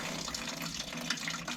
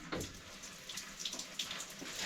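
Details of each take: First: Old one-pipe heating system, cold feed from an old gravity tank in the roof that was blocked: after bashing the feed, a steady, strong splash of water pours without sputter or gurgle; the cold feed now flows freely. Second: Cold feed from an old loft tank on a one-pipe heating system being refilled, after pipework repair: thin, uneven splashing trickle, no steady gush, picking up after bashing the pipe; restricted flow from a partly blocked cold feed.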